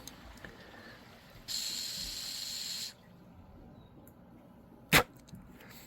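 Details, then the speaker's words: Honeywell water heater gas control valve, valve body tested off the heater with air: short whoosh for about a second and a half, then it stops dead and clicks; pilot flow cuts out although ohms test good, faulty valve body. "so it's it'll start for a second and then it cuts out so this valve body is no good even though the ohms are good"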